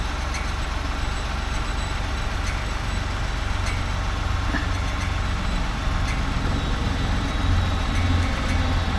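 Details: Ford F-150 3.5L at startup: steady idle with faint, irregular light metallic ticks, like the fan tapping the exhaust pipe; owner suspects the exhaust pipe is hitting the fan, not confirmed.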